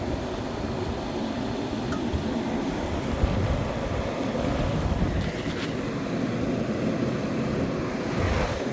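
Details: 1998 Whirlpool 10,000 BTU window air conditioner on fan only after the compressor is shut off, drawing about 1.45 amps: an even, soft airy blower rush with no hum or rattle. The fan runs smoothly and normally.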